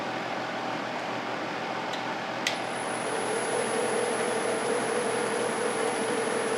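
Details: Walnut chip-and-dip bowl on the lathe: thin, sustained high squeal over the hiss of the cut as the thinning bowl wall vibrates; less bad than some earlier cuts, wall and bottom thickness to be checked further.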